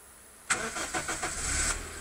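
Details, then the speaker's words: Daihatsu Terios start: a few quick starter turns, then catches cleanly within about a second and settles into a steady idle; starter motor works fine, normal start. "Car starts up well. Starter motor works fine."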